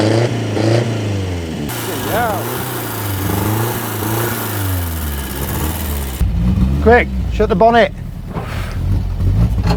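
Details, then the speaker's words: About 50-year-old Mk1 Ford Escort camper project, old bright green fuel drained from tank, manual fuel pump needs cranking to lift fuel: several seconds of slow, uneven cranking, catches at about six seconds and revs in short blips; long cranking then first start. "am I being old or it's not got electric pump on it no it's manual is it manual yeah so you gotta crank it for a bit to get it up there"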